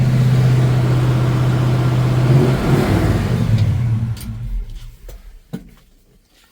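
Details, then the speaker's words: 1955 Chevy car, V8, runs smooth and even with a steady low beat, then shuts off cleanly with no knocks or rattles; normal healthy running. "And so, see how cool this thing runs."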